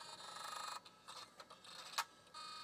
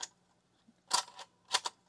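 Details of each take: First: LS-120 SuperDrive powered directly from a bench power supply, no computer attached: quiet chirps, short whirs and sharp clicks with no steady spin; eject works but strange sounds, normal sounds unknown, cause unclear. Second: LS-120 setup bench test: standard floppy drive powered via adapter from a proven power supply, no computer attached, disk inserted: faint steady motor hum under sharp mechanical clicks as it spins the disk; adapter and floppy drive work normally.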